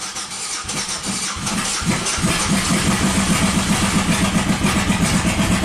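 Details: 1997 Buick Century 3.1 V6 with new plugs, wires, coils and ICM runs rough and lumpy at about four pulses a second, seemingly on one cylinder, oil light on and no oil pressure suspected; severe misfire from collapsed lifters.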